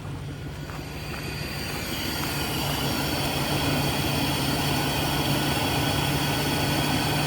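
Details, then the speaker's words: 2000 Chevy Express van after a crank-no-start was traced to the crankshaft position sensor: it starts on key-on crank and runs steady and even with a constant low hum and no knocks or misses; normal running. "But key off, key on, crank. It runs. Holy freaking crap balls, I'm so freaking happy right now."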